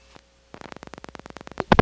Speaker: Did you hear that? There was some crosstalk from an MF incoming register, or perhaps an MF sender, in this Crossbar 5 we're calling.